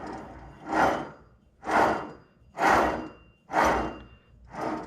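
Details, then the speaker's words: C6 Corvette wheel bearing with the rotor removed and the hub turned by hand: five rough, gritty grinding surges about once a second where it should be quiet and smooth. A worn wheel bearing that needs replacement. "you can tell it's not really a good bearing anymore this should be quiet and smooth so it's time to be replaced"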